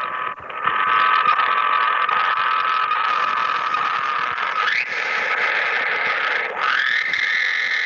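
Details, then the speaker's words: HF ham radio receiver picking up a harsh, rapidly pulsing buzz with a whistle that drifts and sweeps upward, heard while tuning across the band. RF interference from a running washing machine plugged in with a grounded plug. "that pulsing noise was indeed the washing machine and so I can always tell when we've got the washer on"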